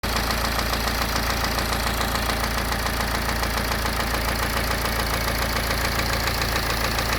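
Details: BMW N47 diesel (520d/320d/120d) idling with a steady deep knock under its usual clatter: bottom end gone.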